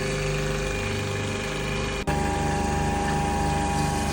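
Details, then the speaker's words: Sailboat watermaker with its repaired pump reinstalled, initial startup: a steady pump drone, then a brief dip as the high-pressure pump kicks in after about 20 seconds with a low rhythmic pulse. Both run evenly; normal. "Okay, it's on the initial startup and you can hear the pump running fine. Now you can hear the high pressure pump has kicked in after about 20 seconds."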